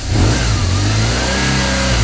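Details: BMW HP2 1200 cc boxer twin, first start after over a year of repairs: it picks up cleanly on a quick throttle blip and settles back smoothly, sounding healthy and even. Throttle bodies may still need adjusting.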